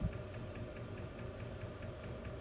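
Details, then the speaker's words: Diesel air heater in a Chevy short-bus skoolie conversion, fuel pump mounted outside the vehicle; steady light ticks about four a second over low fan hum, more clicking at higher heat settings – normal diesel heater fuel pump ticking. "the lower you put it the less clicking you hear the higher you put it the more clicking"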